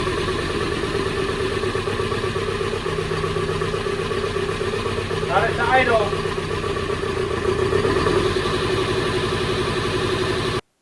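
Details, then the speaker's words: 1974 Alfa Romeo GTV 2000, built 2.0L, after dual Dellorto carbs drained of bad gas, blasted with brake cleaner and reassembled; still on 1997 oil: steady even idle, constant low pulse, no stumbling or hunting; normal idle. "All of the bad gas has been removed from the carbs. They've been blown out and cleaned out. I'm now going to reassemble everything. After reassembling the carburetors, I got the car started"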